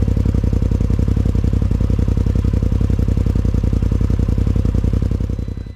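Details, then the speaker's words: 2020 Polaris RZR Pro XP after Aftermarket Assassins Stage 3 clutch install, three spacer washers removed from the secondary: steady, even idle thump about four beats a second, no clatter, winding down at shutdown; secondary barely spins, sounds healthy. "all right that looked pretty good barely had any spin"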